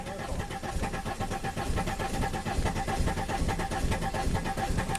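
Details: 2005 VW Passat TDI diesel, under 200k miles, after cylinder head and camshaft replacement, fuel pressure gauge reading only 15–20 psi with a leak: uneven starter cranking at a little over two beats a second, never catches; no start.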